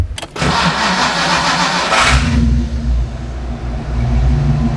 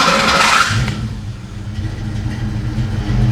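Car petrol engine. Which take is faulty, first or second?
second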